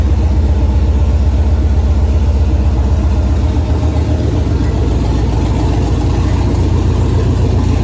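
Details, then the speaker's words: 2008 Silverado prerunner trophy-truck build, V8 with newly installed Holley Terminator X Max ECU and Aeromotive 340 fuel pumps, after updated ECU file finally accepted: deep, steady, even idle rumble, no knocks or misses; runs healthy, ECU working. "so dang that's gonna do it for this week i'm super stoked to hear that motor run and now i know the computer systems all working good"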